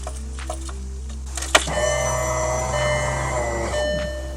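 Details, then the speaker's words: 2002 VW Jetta 2.0 turbo built engine, replacement fuel pump after DeatschWerks pump failed with rattle/hum: click then smooth steady hum about two seconds, stops cleanly; normal fuel pump prime, no strain. "so I don't know if you could hear that but that was a long time and it sounded actually really smooth and really good"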